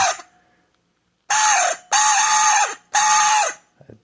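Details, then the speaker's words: Cuisinart or Braun 200 W hand mixer squawking in loud bursts like a squeezed rubber chicken; motor alone is quiet, so noise is from the worn, dry beater shaft bushing; no fix. "The motor is quite quiet. So it's not the motor. The problem here, it's this bushing that's on that road there."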